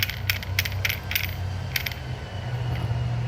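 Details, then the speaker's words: Vespa with the engine running: irregular sharp metallic ticks, about three a second, over a low hum. A worn or local (non-original, thinner) kickstart part lets the kick gear rattle against the gears; the noise stops when the kickstart is pressed upward. "Nah, pas waktu mau hidup, pas waktu hidup, nah lagi hidup mesinnya, nah akan terjadi seperti ini. Bunyi ngeleter, ya."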